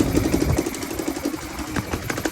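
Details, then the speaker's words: Chinese Yamaha Raptor clone single-cylinder ATV, first run after carb cleaning and refit, on choke with jump power: idle with a sharp regular puffing tick about five per second. More exhaust seems to come out near the head than at the tailpipe; suspected leak. "like more exhaust coming out up there than back here."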